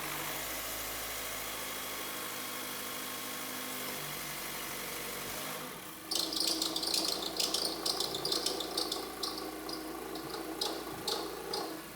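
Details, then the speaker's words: 2012 Mazda 3 2.0L SkyActiv, about 135,000 miles, cold first start of the morning, engine bay: smooth idle then irregular chirping rattle and high squeak that worsens in drive or reverse; worn serpentine belt tensioner suspected, later replaced. "the car hasn't been started this morning yet and it tends to be worse when it hasn't been driven so what I'll do is I'll start the engine you'll hear that noise and then it seems to get worse when you put it into drive or reverse for that matter so I'll do that as well"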